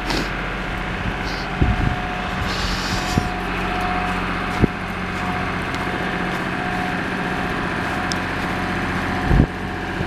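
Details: Lister HR3 diesel generator, cold start, powering a house on a 100 amp service: steady, even drone holding one speed, no hunting or knocks, no change under load; tested right at 60 Hz, running healthy.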